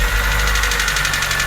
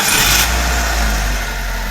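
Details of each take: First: Petrol engine just after startup, timing chain and water pump already replaced: quick even clatter about seven or eight raps a second, rattle from poor internal oil supply to the variable valve timing; parts to be cleaned. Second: Petrol engine after cleaning the VVT solenoid and oil-starved internals, previously rattling despite new timing chain and water pump: starts and settles into a steady, even idle, rattle gone.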